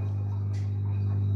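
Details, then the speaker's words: Electrolux EWS 1046 washing machine spinning with an empty drum: even, low steady hum with no knocking or scraping, motor nearly silent, healthy. "Слышите, что работает не шумно, мотор не слышно практически."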